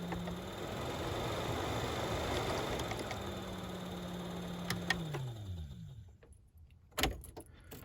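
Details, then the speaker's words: New replacement blower motor for 1998-2002 Oldsmobile Intrigue tested before installing, old one had failed bearings; steady even hum, no rattle or scrape, clean coast-down when switched off; normal healthy run. "Nice and healthy. So let's get that back in there."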